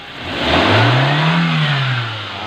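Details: Nissan GX, QG16 engine, after repairing low fuel pressure and hard starting caused by a crushed fuel pump O-ring, improvised with fuel hose. The engine revs up smoothly, holds and settles toward idle with a clean steady tone, no knocks or misses.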